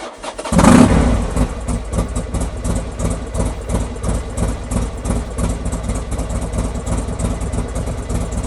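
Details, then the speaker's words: Buell XB12 V-twin start after cleaning and regapping spark plugs: catches straight away with a quick rev, then loping uneven-beat idle with no misfire; runs slightly better, plug gaps possibly a little big. "And voila, done. Happy days. Seems to be running a little bit better as well."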